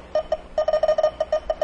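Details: Refrigerant leak detector probing a car A/C condenser leak with the engine off: quick irregular beeps, about six to eight a second in bursts, less sensitive than with the engine running, still detecting residual refrigerant.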